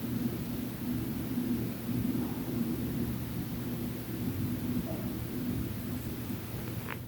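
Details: Lennox furnace running: steady low rumble with deep drumming hum and popping heard from the ceiling ductwork; cause not identified.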